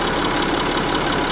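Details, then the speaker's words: Car idling after repair: a fast, even rattle from the worn chains between the camshafts, only slightly reduced; replacing the chains is recommended urgently. "The only thing that remains to be done in the near future ... ... would be to replace the chains ... ... between the camshafts. Unfortunately, that noise doesn't go away."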